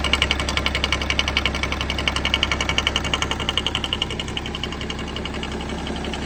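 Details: BMW M57 diesel (E60 525d/530d type) at idle, oil filler cap open: steady sharp knocking about two per second over diesel clatter, loud only with cap open; vacuum pump noise, harmless.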